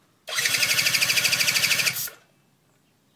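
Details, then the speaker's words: Razz that won't start: quick string of regular firing pulses under two seconds, then engine cuts out; starts but stalls, rear brake held suspected of killing it, not confirmed. "yeah it's like as soon as this is gonna just stop"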